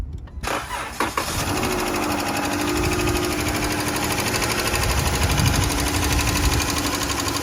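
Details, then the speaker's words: Chrysler 300 engine cranked and idling: light, fast ticking over a steady idle that keeps pace with engine speed; lifter tick, needs rockers/lifter job; motor mounts also found worn out. "got another ticker good people I'm going let you listen to it in a bit"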